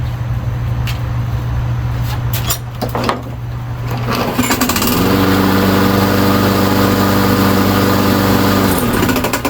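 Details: Briggs & Stratton push mower on a Yard Machine, after replacing a sheared flywheel key: after a few handling knocks it catches into a steady, even drone with no misses. A slight scrape comes from the bent blade; runs smoothly.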